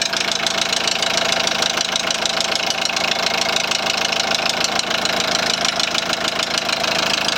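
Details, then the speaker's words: 2001 VW Transporter T4 1.9 TD at idle, rocker cover already checked with nothing seen: a sharp, fast, even tapping about three a second. It sounds like a top-end tap, which the mechanic suspects is in the head; unconfirmed. "I'm going to give her a start now and let you hear what's happening it's a bit puzzling it's a weird one"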